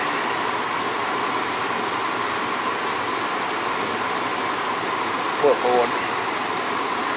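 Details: Gas boiler after flue vent damper replacement with end switch fixed, running during Testo 320 combustion test: even, steady rushing burner roar, no pulsing, rumble or flutter; combustion numbers fine, firing cleanly.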